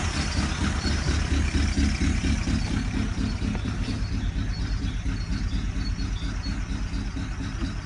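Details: Ford Galaxy idling: steady low idle with a dull clacking knock about twice a second keeping time with the engine; engine knocking at idle, source unknown.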